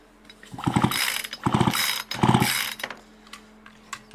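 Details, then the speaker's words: Poulan Pro chainsaw, owned about 12 years, being cleaned up for the season with air filter off: three quick recoil pulls with firm chugging strokes; great compression, and good spark confirmed. "they still got great compression"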